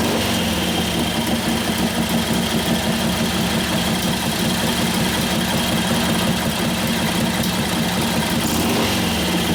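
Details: 1941 Harley-Davidson WLD 45 flathead V-twin, 56ci stroker build, warm: steady, evenly paced beat with no popping, knocks or stumbles; runs clean and healthy, better than it used to, sounds like it has a cam.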